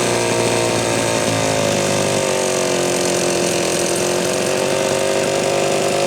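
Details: Homelite Super XL chainsaw after repair of a loose cylinder nut (cylinder gasket issue) and filed, gapped points. Steady high-rev two-stroke scream holds speed while cutting, no bogging or misfire; healthy, though being retuned after running slightly lean initially.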